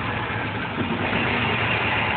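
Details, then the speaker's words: 2WD Chevrolet Suburban 5.3 V8, cold crank on a freezing morning: dull, slightly uneven idle rumble with stumbles; owner suspects an intake gasket and hears a possible exhaust leak as well; cause not confirmed. "Sounds like an exhaust leak on top of everything else. Wowzer. Firing on all seven."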